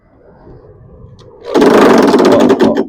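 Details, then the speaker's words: Non-running lawn mower, primed and started: catches and immediately sets up a fast, hard metallic rattle, three or four strikes a second; owner suspects the trap door hitting the blade, not confirmed. "Uh-oh. That sounded bad. Rat-a-tat-tat. American Airlines. Did you hear that? That's not good. Oh, was it this trap door hitting the blade?"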